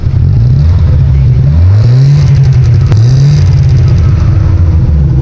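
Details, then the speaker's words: Opel Astra, no check engine light, rpm pointer fluctuating: revs rise and fall with a lumpy, stumbling beat and uneven pulses. The misfire comes from incorrect valve timing. "So tingnan natin doon sa makina at pakinggan natin ang andar nito kasi dito sa pointer ay halata na palyado. So talagang palyado ang makina ngayon."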